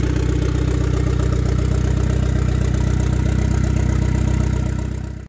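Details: 1993 Saab 9000 CD, first start after sitting about a year, new battery, exhaust removed: loud raw evenly pulsing idle with hard popping each firing stroke; loud exhaust, exhaust system off.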